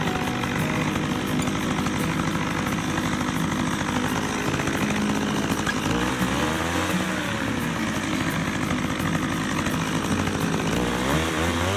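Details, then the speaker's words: McCulloch 610 chainsaw, final indoor high-speed carb adjustment: held wide open, its scream sags and recovers as the screw is leaned until it sputters, then set midway, slightly toward rich. "so you do that tell us there's a spotter you count it the turns back until it starts to sputter on the lean side and then you put it halfway in the middle I actually give it a little more to the rich side"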